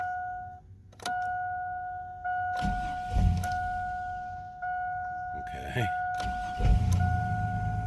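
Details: 2000 Chevrolet Astro Van after ignition cylinder replacement (broken in theft attempt) and battery reconnected: chime tone, engine cranks and catches, then settles into a steady low idle; normal start and idle.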